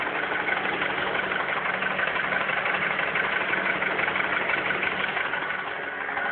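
Even idle carrying a regular rapid tick-knock, roughly three per second, above the engine note; source not pinned down.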